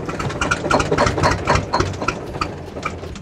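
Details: 1981 GMC cabover with a Big Cam diesel, pulled from the bushes after sitting: quick, even diesel clatter at a steady beat, holding idle on its own without faltering.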